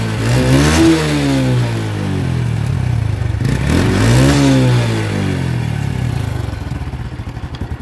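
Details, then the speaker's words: Honda Revo Absolute motorcycle, previously backfiring off throttle: with both SAS secondary-air hoses blocked, two clean revs fall back to a steady idle with no exhaust pops. The deceleration backfire is gone. "ini ada di sini sudah tidak ada ledakan Ada tembakan perhatikan di bagian knalpotnya di sini sudah tidak ada lampu depan"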